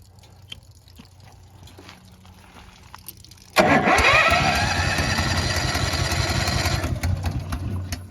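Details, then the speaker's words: Honda EB11000 generator on 20 lb BBQ propane tank, cold weather, restart after primer: catches, runs unevenly with wavering beat, then sags and quits; owner suspects tripped excess-flow valve or low tank pressure; rough running and stalling. "Yep. Not good. Yeah, it's not working. Just like that, it quit."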